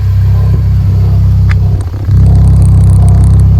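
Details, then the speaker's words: Mini Cooper R50 on jack stands after fitting an aftermarket eBay exhaust with new gasket, at idle: low even exhaust rumble with slight vibrating wobble, no leak ticking or puffing, quiet healthy exhaust with no leaks found. "Bit of a vibrating wobble. This stuff is obviously on jack stands. But realistically, that exhaust is nice and quiet for a cheap £67 eBay exhaust."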